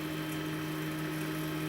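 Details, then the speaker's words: Chinese laser cutter stepper motor moving the head at 80 mm/s: even, steady hum with clean tones, no knocking or stutter, very little vibration; smooth stepper motion, unlike the rough 50–70 mm/s range. "much going on there is a eighty millimeters a second very little going on there and also the sound is very smooth"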